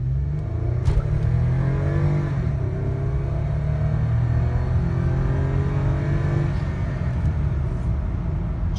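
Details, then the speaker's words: 2010 Lexus ES350, about 16,000 trouble-free miles since purchase, 0-60 full-throttle run from a stop: engine note climbs smoothly with clean upshifts, no misfire or rattle; pretty quick, runs very good, normal acceleration. "Pretty quick. Runs very good."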